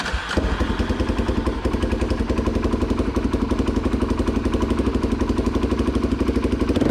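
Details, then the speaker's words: 2003 Polaris Predator 500 single-cylinder quad after compression check and timing adjustment, plastics off: steady lumpy beat about four thuds a second with uneven pops mixed in; still popping while running, owner suspects carburetion. "yeah, it's still doing the popping thing or whatever. So I mean, that might be carbureted now at this point."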